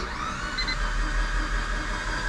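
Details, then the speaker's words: Mitsubishi Evo during a compression test on cylinder 1 (cylinders 2-4 read 160 psi): fast, free cranking with a thin high-pitched whir and no labouring beats; zero compression in that cylinder. "You can hear that it's not even building compression because it sounds like there's no resistance. You just crank a high-pitched sound like you just heard, and yep, like you see, there's no compression."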